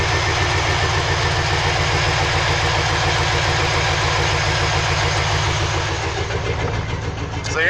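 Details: 2003 Chevy Silverado 2500 6.0 V8 with P0300 random misfire code and check engine light: uneven idle, about 3.5 beats a second, with occasional stumbles; owner hopes the coil packs are the cause.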